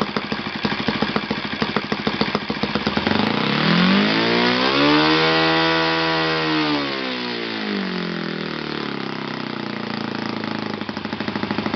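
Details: Yamada (Futaba) YS F 120 four-stroke glow engine on a test stand after a full rebuild (combustion chamber buildup, piston and ring problems), Yamada No. 4 plug: steady idle climbs smoothly to a clean high scream, then drops evenly back to idle, no hesitation; normal running.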